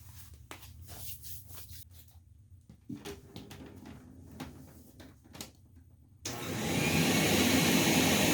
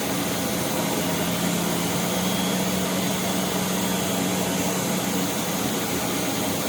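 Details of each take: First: Rainbow R-2800C power nozzle motor run on the bench during refurb, with a terrible smell: handling clicks, then a harsh, gritty roar and rough rattle throughout; needs lubrication and possibly a bearing; failed motor bearing. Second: I turn it on and just hold it with one finger and that's it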